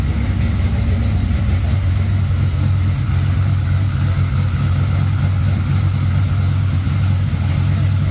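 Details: Engine started right after a dead battery (cause unknown, owner checked trans brake and line lock clicking): steady low even idle with no misses, knocks or stumbles; healthy and smooth.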